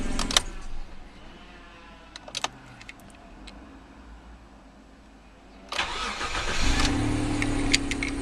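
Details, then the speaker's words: Mitsubishi that had long cranks after sitting and a rough idle from fuel pressure loss, now a cold start at 8° after sitting 3 weeks. Brief crank, catches at once into a steady, even idle; a little fuel pressure loss remains. "Started well for 3 weeks and still got a little bit of pressure loss in the fuel system, but we'll get it sorted."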